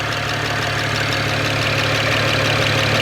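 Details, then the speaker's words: Salvage-auction BMW 1M idling after about 10 minutes of running, exhaust smoke just water, gauges and oil level fine; steady even idle with smooth low hum and bright exhaust hiss, no knocks or misses; normal warm-up idle. "There it is, just water. It's been running for about 10 minutes. Everything good so far."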